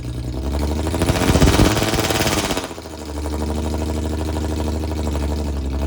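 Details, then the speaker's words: Jaguar V6 with welded differential and a suspected failing transmission, during a burnout attempt: revs hard about two seconds then sags into a flat held-down drone, power limited by engine failsafe mode. "The Jaguar was displaying engine failsafe mode. So pretty much it was stopping me from being me."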